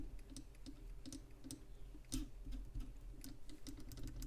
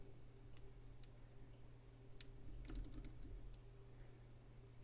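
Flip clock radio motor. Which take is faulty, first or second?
first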